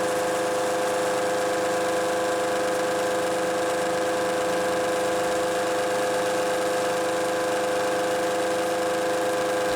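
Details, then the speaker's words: Milling cut on a workpiece for a turning-tool height gauge: steady dense machining drone with strong ringing tones; the large depth of cut (about 0.350 in to take off) sets up heavy vibration shaking the camera. "not to mention that uh the large depth of cut is causing a lot of vibration in the camera so we'll skip this"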